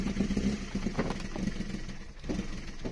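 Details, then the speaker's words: Toyota 2E with a 272-duration TRD performance camshaft, just after valve clearances were adjusted: choppy, lumpy idle with irregular lopes and dips; throttle must be held to keep it idling, trying to shoot flames at idle. "i can feel her man she's a um pretty uh lumpy cam for sure i have to keep my foot on that just to keep that idling"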